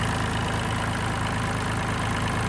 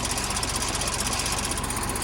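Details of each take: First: Neglected John Deere tractor after fitting a missing bracket and fan shroud screws to cure chattering: steady, even low idle with no ticking or chatter; normal idle, ticking fixed. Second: Neglected John Deere, first start from cheap purchase with the fuel system untouched: a steady fast chattering knock in time with the engine, the fan blades striking the radiator because a bracket is missing; a fuel leak is also present.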